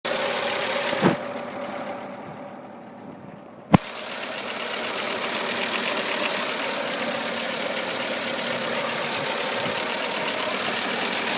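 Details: Mitsubishi FTO idling: an odd hissy, rattly noise pulsing about three times a second from the engine bay, cause unknown.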